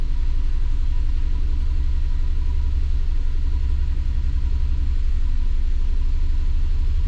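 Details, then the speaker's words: 2006 Subaru B9 Tribeca 3.0 with P0301 and multiple misfires, runs poorly: uneven lumpy loping idle, cylinder 1 dead with milder misfires on 6 and 3; relative compression test next. "let's check in there's a dead hole due to the fact we have multiple misfires so let's start this with a relative compression"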